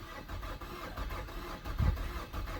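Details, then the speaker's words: 2007 Mazda four-cylinder: fuel pump heard priming at key-on, but the starter turns the engine steadily with no firing. Crank no-start from a failed fuel pump, fixed by replacing the pump. "And when you put the key in, you can hear the fuel pump kick on, but when you crank the engine, you get that. And that is the best it's going to do."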